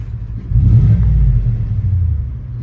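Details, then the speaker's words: 2018 Cadillac Escalade 6.2 V8 after DOD delete (cam kit, LS7 lifters), with shorty headers, Magnaflow muffler and exhaust flapper valve removed. Revving gives a deep, smooth rumble, slightly louder than stock, with no lifter tick. "We got rid of the flapper valve, which is great. And it's just a little bit of noise, which is what I was looking for. Something just slightly louder than stock, just so you know that there's a 6.2 in this thing."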